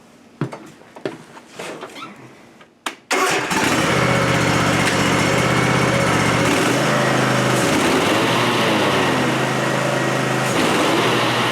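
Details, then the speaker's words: 7-year-old Ariens Ikon zero-turn mower, blades had been shutting off, PTO clutch or battery suspected: a couple of clicks, fires at three seconds, settles into a steady even run with the blades engaged; normal running. "I'm going to start it up and we're going to see if the blades will come on or not, and then we'll go from there just to see."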